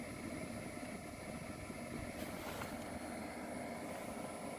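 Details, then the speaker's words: 4 kW diesel heater mounted behind the driver's seat in a Sprinter camper van, combusting diesel: steady, even rush of air with a smooth hum that grows louder as the fan goes to high mode; no knocks or rattles; normal operation. "now you can hear the air coming through finally and it's getting a little louder as the fan goes in higher mode as it's combusting diesel fuel"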